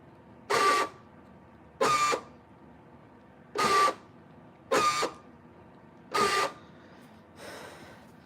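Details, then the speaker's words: 1998–2003 Dodge Durango door lock actuators cycled with the key before replacement: five short harsh grinding buzzes with thin squeal, one per cycle; three non-driver doors' actuators worn out, driver's door still fine; worn door lock actuators. "So first, hold up. I'm gonna just use the key to unlock it, because and you can hear how bad these are."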